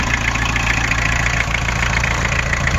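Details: 1986 Isuzu Trooper 2.2 L C223T turbo diesel, seized after sitting since 2005, first start after full engine rebuild, good oil pressure: steady, even diesel clatter at idle with no misses or heavy knocks. Normal diesel idle.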